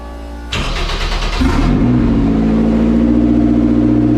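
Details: Lotus Super 7 with turbocharged S2000 F20C swap on AEM EMS Series 2: a few seconds of cranking, then it catches, revs briefly and settles into a smooth, steady idle; clean, healthy start.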